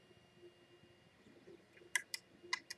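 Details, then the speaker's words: New 3D printer whose bed springs had uneven load during setup. Mid-print, the bed rocked and four sharp clicks in two quick pairs sounded over the printer hum. The cause is not found, and the layer was apparently unaffected. "what's that noise I don't like that noise like the whole bed rocked back and forth a little bit and there was some clicking"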